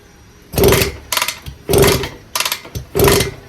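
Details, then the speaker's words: 1974 Indian JC54, Minarelli P4 two-stroke, first run after sitting, oil squirted in cylinder; carb needs cleaning, stuck throttle cable, no idle screw on carb (Ruing, not Dellorto). Short revving bursts dropping away between blips; runs only on throttle, won't idle. "So, if you can see here, there's no screw. There's no idle screw."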